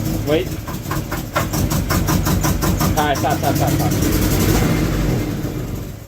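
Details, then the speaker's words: 1996 Mitsubishi Eclipse, first start after valve seals redone and head resurfaced, pump primed a few times: rough uneven running with a loose knock about three times a second; suspected bottom end/rod knock, not confirmed. "yeah but you hear the sounds like knocking all"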